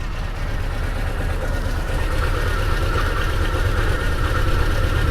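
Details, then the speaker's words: 1997 Chevy S10 2.2 four-cylinder, first start after fuel pressure regulator replacement and fuel purge; no fuel smell or visible leaks, fired right up. Smooth, steady idle with even low pulse, no ticking, knocking or stumble: normal idle. "I don't smell anything I don't see [Music] anything it fired it fired right up like that was"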